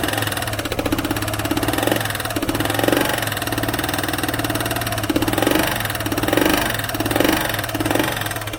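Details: Vespa ET4 scooter built from a box of eBay parts, with some smoke seen: a fast, light sewing-machine clatter rides on an unsettled idle; the source is unclear, and possibly the exhaust is suspected.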